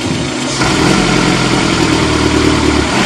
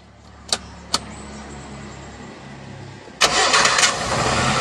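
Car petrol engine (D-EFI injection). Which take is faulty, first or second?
first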